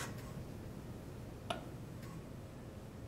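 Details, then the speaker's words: Hamilton G5 mechanical ventilator pre-use check, flow sensor reversed and auto-recognized: few soft sparse ticks over faint hum during flow sensor calibration; normal. "ventilator automatically recognizes it and it starts doing more of its test for the flow sensor calibrations and process flow check the sensor test is still being done"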